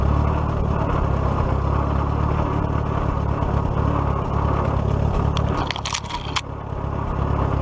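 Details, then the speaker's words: 1941 Case SC tractor running after governor repair, with timing set and the magneto left loose for adjustment. Steady low chugging at an even governed speed with no misses or knocks. Runs well before the hill test: normal running. "well it seems to be running pretty good it definitely pulled the her clothes so that's good works like a champ"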